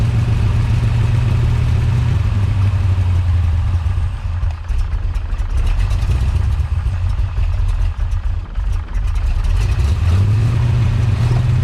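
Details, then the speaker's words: Big-block Chevy with big cam and rebuilt Holley 750 double pumper: lumpy loping idle; with curb idle screw turned up it idles high, then sags toward stalling and needs another accelerator pump shot. Rough idle and stalling, still not right. "so you saw there I turned up the curb idle screw it idle went up I was able to let my hand off the throttle but it was idling high and after a few moments it wanted to fall back on its face and wanted to stall out and it needed another pump shot of gas"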